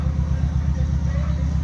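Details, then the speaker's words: Van "Ruby" back running after relay problems were sorted: steady, even low rumble at idle with no knocks or misses; normal, healthy idle. "But she's running, and it is, what time is it?"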